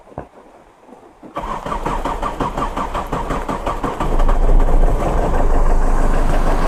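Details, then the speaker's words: Old converted Tata Indica mechanical diesel, after fuel pumping; starter churns a few seconds, then it catches into a rough, loud cold idle in heavy rain; long crank blamed on rain and temperature. "സ്റ്റാർട്ടായിട്ടുണ്ട്. കാരണം കുറച്ച് long സെൽഫായിരുന്നു, പിന്നെ നല്ല മഴയാണ്, ടെമ്പറേച്ചറൊക്കെ ഇതായി നിൽക്കുകയാണ്."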